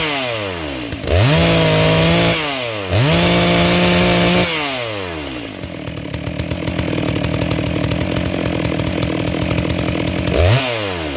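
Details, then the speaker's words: New Neotec NS892 (Stihl MS660 clone) chainsaw, first start out of the box with no adjustments, new chain: snaps up to a high scream twice, then a burbling, slightly uneven run; carburetor mixture on the rich side. "well i don't know about y'all but that's not bad for a first start right out of the box it sounds like it's pretty close where it's at yeah it's definitely on the rich side but that's fine with a brand new piece of equipment"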